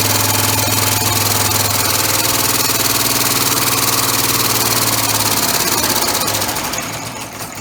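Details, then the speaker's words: Homemade three-cylinder orbital compressed-air engine, no balance wheel fitted yet: rapid slapping about four times a second over air hiss, fading as it slows, from unpressurized slippers; expected to stop once pressure is applied. "it's a little bit noisy because of the silver is lapping yet but once it gets pressure put to it then that'll stop that slapping noise and it shouldn't be just too noisy then either"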